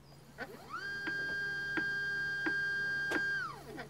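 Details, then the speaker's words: iOptron CEM40 mount at max slew: steady motor whine with a sharp pop roughly every 0.7 seconds, each time the marked damaged section of the RA drive belt comes round inside the housing; causes erratic RA guiding. "it seems to be that the damaged part of the belt is inside the housing every time it makes this popping sound perhaps if we go to max slewing mode it makes it even clearer"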